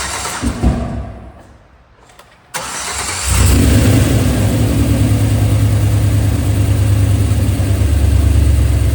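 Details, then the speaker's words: 2003 Chevrolet Silverado with LS6 intake, just after replacing soft cheap intake gaskets; cranking, a sharp pop as it catches, then rough idle; startup backfire likely from intake/vacuum leak, which had also set a MAF code. "Also with that vacuum cap, with the intake leaking, it could have backfired. You heard it backfire in startup. That's the issue I was having."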